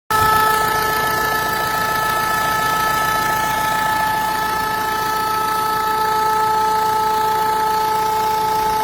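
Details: Renault 1.5 dCi diesel idling evenly with a steady high-pitched whine on top; abnormal noise at idle, cause not pinned down.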